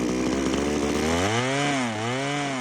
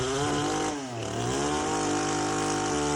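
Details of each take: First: Power PRO24CCHTA 24cc petrol hedge trimmer at full trigger, air filter removed: two-stroke whine surges and bogs intermittently. Carburettor stripped with no blockage found, so it is being replaced. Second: Power PRO24 24cc petrol hedge trimmer after carburettor replacement, filters refitted, cutting hedge with a clean steady buzz that revs smoothly; running fine.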